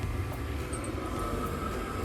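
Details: Mains-powered workshop heater with pump and controller, intake under a noise-dampening cover, tested on a not particularly cold day: steady low roar with a faint constant hum, no rattles or surging; running normally.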